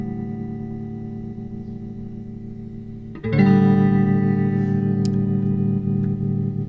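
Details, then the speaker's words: 1964 Fender Concert amp during repair: sustained guitar chord with only faint, shallow volume pulsing; tremolo is weak, pointing to a worn LDR. "Yeah, so it still is pretty weak, so I am assuming it's going to have to need the LDR changed"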